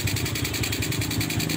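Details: Older Supra motorcycle, carburetor idle and air screw setting: steady, even idle with regular low putt, no hunting or stalling; idle mixture set correctly by sound.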